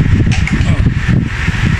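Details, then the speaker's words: Old-style KDK wall fan after capacitor replacement, running on speed 1: low, soft whir with even airy rush and no rattle or buzz; smooth and quiet, the noise is gone. "Ayos na tong si KDK. Wala lang sabitan dahil wall fan. Number 1. Wala nang ingay. Oh, suabe na."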